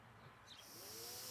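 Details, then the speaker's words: Brushed DC motor fan driven by Arduino Uno through an H-bridge, switched on as the potentiometer thermostat setting is lowered below the sensor temperature reading. Faint hiss, then a soft whirr climbing in pitch as it spins up; normal start. "at present the thermostat's just above the uh temperature reading so the system's not on if we turn it down just a little bit it'll come on"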